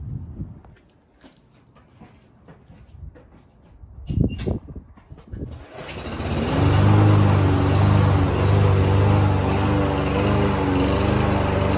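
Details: Lawn Boy push mower, unused for almost a year, after starting fluid and carburetor cleaner: while cutting grass it settles into a strong, even drone, pulling steadily without bogging or missing; normal running under load.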